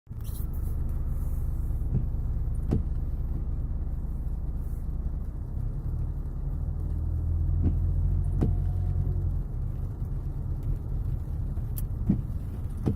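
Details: Knock from the right side when driving over small bumps on a Citroën C5 X7; steady road rumble with a few sharp isolated knocks, pointing to a loose suspension component.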